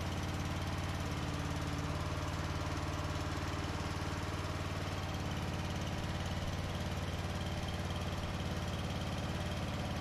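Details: 2004 Craftsman 30-inch Murray-built mid-engine mower, small single-cylinder, cold start after carburetor adjustment: steady, even low thump at idle with no misses or knocks; runs fine.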